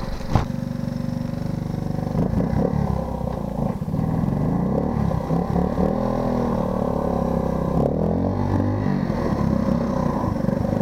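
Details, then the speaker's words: Honda ATC 90 single-cylinder revving under throttle, down on power, with hesitation and irregular backfire popping; the timing advance is stuck. "As you can hear, it does that little backfiring blah blah blah. And it's hesitant."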